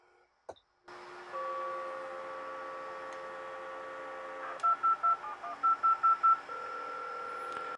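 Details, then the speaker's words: Multi-modem dialing on a phone line after an ATDT command from a terminal session: dial tone, then a quick run of eight clean touch-tone bursts in a quiet room, with the other modem receiving the ring. Normal DTMF dialing. "And so now what we're going to do is dial a number. That's ATDT, and then I'll type in the number, and we should hear the modem doing"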